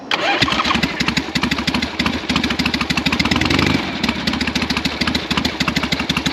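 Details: 1982 Yamaha XS650 Heritage Special twin, stored 3 years with a no-start fixed by the "Gonzo" DIY TCI mod, started once the kill switch was set. Quick even pops as it catches, then a smooth, regular run with no misses.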